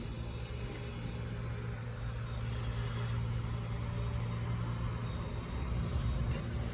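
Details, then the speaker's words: Central AC condenser not cooling, with a swollen failed dual run capacitor: low steady electrical hum with no fan whoosh and no run-up. The compressor draws about 73 amps trying to start and stalls. "compressor almost getting 70 something amps of power let's measure that again"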